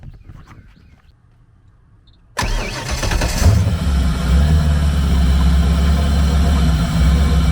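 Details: 1999 Ski Nautique with a 5.8L GT40 V8 starting after an alternator belt replacement, belt not yet tension-set. After a short crank it settles into a deep, steady rumble with no squeal or slap; normal start and idle.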